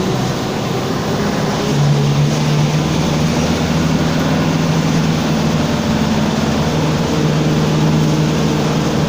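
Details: Torino 2007 bus on an OF-1722M chassis, line 314, recorded 19/11/2018, driving: a steady low growling hum under road and engine noise throughout; roaring (roncando), worn differential growl.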